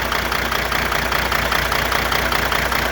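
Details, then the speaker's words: Diesel idling, injector heads checked with a hard-handled screwdriver: sharp regular metallic pinging about two and a half per second; injector number 2 has the hard hit causing the popping and pinging. "Oh yeah, that one's got a hard hit. Real hard hit. That's where my popping and pinging's coming from."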